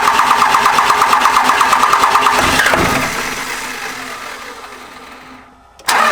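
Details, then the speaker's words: Second-gen 24-valve Cummins diesel cranking with injector lines cracked to bleed air; steady cranking pulses, a brief catch, then it dies away and stumbles, firing hit and miss from air in the injection lines. "Started cranking the truck over, a little hit and miss here and there, a little hit and miss, and she fired up."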